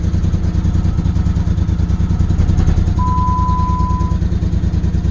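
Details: 2008 Dodge Nitro started on jumper cables after timing belt reassembly; rough, uneven idle with a stumbling low pulse about three times a second, still has a miss. Owner plans a compression check and suspects timing may be off.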